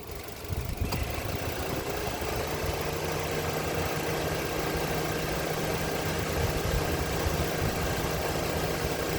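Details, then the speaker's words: 2024 Mitsubishi Xpander GLS idling with headlights and aircon on, after a battery-caused no-start: steady, even low hum with no dips or stumbles under load; voltage holds at 13.79, alternator charging well. "Okay. Naka-on ang headlight. Naka-on ang aircon. Nasa 13.79. Kaya hindi siya natatalo at maganda ang charging ng alternator."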